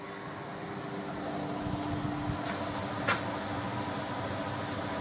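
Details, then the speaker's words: Small workshop heating system, gauge rising past 60 toward 70 degrees with warm air coming out: steady even rush of air over a low constant hum, no knocking or rattling; normal circulation. "And there she goes, folks. Lovely circulating system."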